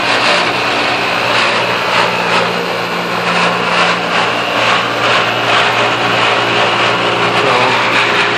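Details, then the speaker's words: Pentair UltraTemp pool heat pump running after a gradual six-minute startup: loud rough roar over a steady low hum with an uneven pulsing beat about twice a second from down low, near the fan; intermittent, cause unknown. "Here's the fan. Making a ton of noise. Sounds like it's coming from down low."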